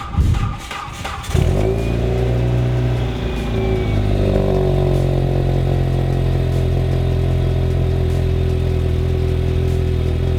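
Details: 2006 Hyundai Tiburon GS cold start: catches and settles into a fast idle with a raspy, uneven puffing over the engine note, from an exhaust leak at the headers.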